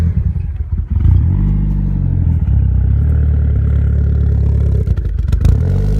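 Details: Mitsubishi Eclipse DSM 4G63 with GT30 turbo and BC 272 cams: deep, lumpy idle that hunts and stumbles unevenly with a dip near the end; rough idle, owner suspects throttle stop adjustment, boost leaks or tuning needed.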